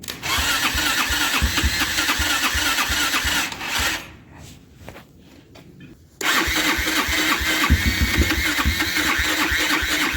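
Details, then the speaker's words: Abandoned Kymco Mongoose 250cc liquid-cooled CVT quad, engine left open for years: catches and runs raggedly, falters and nearly dies, then fires back up; rough start, choke seemed to help. "sign needs a little more help I think the choke was actually helping"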